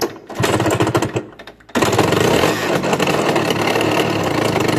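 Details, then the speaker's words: Suzuki Satria Hiu two-stroke motorcycle: after a stumble the engine settles into a harsh, rattly clatter, loudest on the left side; cause found to be a loose magneto flywheel on worn splines. "guys jadi suaranya Kasar banget ya di bagian kiri engak tahu di bagian tengah ya"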